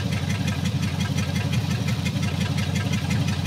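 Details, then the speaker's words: Rough idle on a 1954 Meteor flathead V8 that sat 55 years: a low, lumpy idle with an uneven beat near three per second and blue smoke. Stuck valves are loosening, two dead cylinders rose from 0 to about 35 psi, and it is nearly firing on all eight. "i don't know how well well i want to try driving it very very tempting it's still got a little bit of a shake to the motor"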